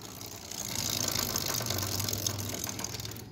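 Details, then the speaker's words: Honda Titan 150 motorcycle: rapid metallic chattering about four per second, swelling as revs rise; drive chain noise echoing off the small chain guard. "o que faz esse barulho pessoal é exatamente essa proteção inha aqui ó essa proteção inha certo é o que ecoa esse barulho"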